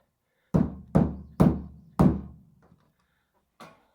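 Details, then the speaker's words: Toyota Camry after a crash repair, fitted with a junkyard hood that doesn't pop well: four dull thunks, then a light click as the newly oiled latch lets go and pops the hood; it still needs breaking in. "You can hear it up there, but it ain't popping. So we gotta work on that a little bit, otherwise it takes two people to open the hood."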